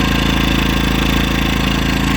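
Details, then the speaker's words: EcoFlow Smart Generator 1.6 kW dual-fuel running on gas, just cold-started with electric start: quick even pulse, steady pitch, no stumbling or misses, no smoke; healthy cold-start idle. "start Device is cold then it runs no smoke so 0.0 out and it stinks also not as strong as you have"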